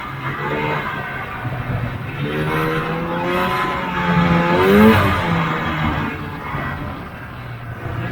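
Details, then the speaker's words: 1980 Polaris TX340 two-stroke snowmobile after replacing blown head gaskets, previously boggy when warm, cold-started then ridden around the yard with helmet-mounted camera: revs and settles cleanly, no bogging; easy-starting, good-running sled. "i'm really happy with how the sled came out uh it's just an easy start and good running sled at this point"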